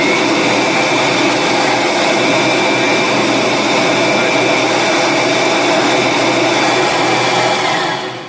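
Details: Kirby vacuum after replacing the faulty power switch: a steady, even, high-pitched motor roar holds constant, then winds down; it runs normally, tilted to check the tech drive.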